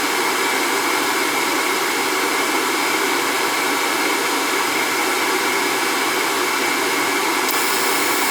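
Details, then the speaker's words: Riello oil burner with a new control box and a 75 45 nozzle fitted where 75 60 is correct. The fan and pump hiss steadily but no flame catches. The inside was found clean, so the wrong nozzle is suspected, unconfirmed. "no she didn't fire she was kinda look at wanted to go open this thing up see what it looks like in there"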